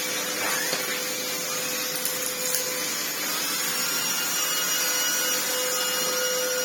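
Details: Red Sebo C2 Total upright vacuum on max, reassembled after its lack-of-airflow problem was cleared: strong steady airy roar with faint high whine, even pitch; motor and turbo head sound healthy, normal running.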